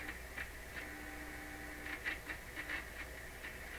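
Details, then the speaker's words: Bendix 526A 5-tube radio, warmed up, before capacitor replacement: steady low hum with irregular scratchy crackles when the volume knob is touched; the volume control slider is suspected to be making and breaking contact. "I think what's happening there is the slider is making and breaking contact."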